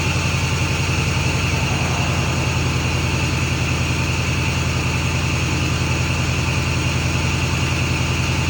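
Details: Ford F350 6.4 Powerstroke diesel after new turbo install replacing bad-seal turbos: even, steady idle clatter with smooth low rumble, no whistle or surging; healthy, no longer burning oil.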